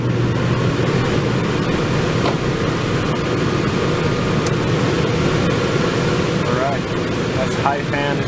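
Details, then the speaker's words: Newly installed Dometic Duo Therm 11,000 BTU Penguin II Low Profile RV air conditioner on high fan: loud, steady, even rush of air with no thumping, rattle or vibration; normal high fan operation. "It's pretty loud. No vibration though."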